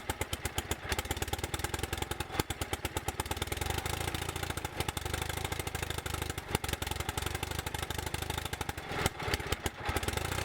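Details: Bolens QT17 garden tractor single-cylinder engine, first start after oil change, breaker points set, new carburetor gasket and air element: fast, steady firing pulses with slight clatter, running on its own; afterwards it smokes white and revs up excessively once warm.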